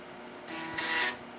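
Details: Normal floppy drive seek noise: a short burst of dry buzzing and chattering as the head steps across the disk. Drive sits in a Packard Bell case with a 600MHz Pentium 3, 256MB RAM and a Voodoo3.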